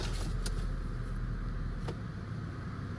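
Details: 2008 Toyota Yaris started after an oil and filter change, with no warning lights: a quiet, even low rumble with no ticking or knocking; the small four-cylinder idles smoothly.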